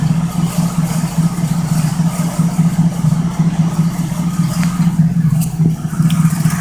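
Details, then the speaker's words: 1972 Oldsmobile 98 with 455 big-block V8, cold start: rhythmic knock-like tapping that is a nearby component vibrating, not the engine, which runs well. "guys this sounds like it's knocking but it's just this thing right here sinks vibrating but this thing runs really really good"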